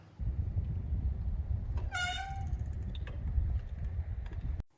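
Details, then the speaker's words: Mongoose mountain bike V-brake after cleaning with isopropyl alcohol: brief high half-second squeal, quieter and shorter than before but still present; most likely pad toe-in, still needs fixing. "The squealing wasn't as loud or as long lasting, so even though it might have had some impact on this, it's still squealing and we do need to get that fixed."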